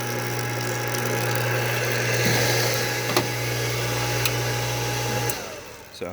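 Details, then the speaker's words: Goulds booster pump after its fried power toggle switch was replaced: an even, steady low hum without surging or rattling, winding down cleanly at the end. The pump is running normally. "So now it runs just fine there."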